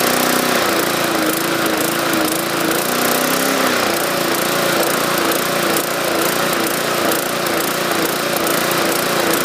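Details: 2014 MTD 20-inch push mower with 300E engine, main jet drilled out to 0.6 mm: the note hunts up and down about twice a second at governed speed; owner suspects too much fuel from the enlarged jet, and raising rpm did not help.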